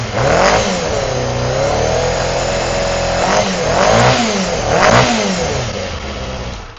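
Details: Honda CBR250RR MC22 four-cylinder carbureted engine after a misfire diagnosis that found two misfiring cylinders: revs up and down cleanly with a smooth, even high-pitched note; running healthy, though the carbs may still hold some muck.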